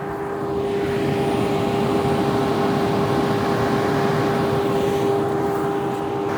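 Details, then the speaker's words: 1-year-old Tesla Model 3 Performance at 12% charge during a battery health test, with motors and HVAC ramped up to burn off energy: steady inverter whine with a fainter higher tone over an even fan rush. Normal. "So, it will produce quite a bit of heat while the motors are running and the HVAC systems running. You can kind of hear everything running. You can hear the inverter whine a little bit. Maybe the motors."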